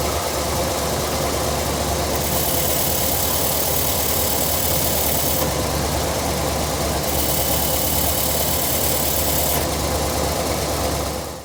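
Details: C3 Corvette V8 at idle: loud rumble with irregular metallic rattle chattering over it; owner suspects throwout bearing, origin unconfirmed.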